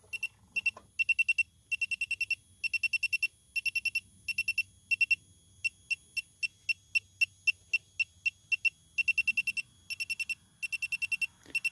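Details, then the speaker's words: 2017 Chevy Malibu AC leak search: electronic detector beeps rapidly in tight clusters, nearly two bursts a second, at the front of the compressor; suspected compressor seal leak, earlier evaporator hit possibly false. "which is where the compressor is at I'm basically at the front of the compressor I can't really show that but so I think probably maybe the seal on the compressor is leaking"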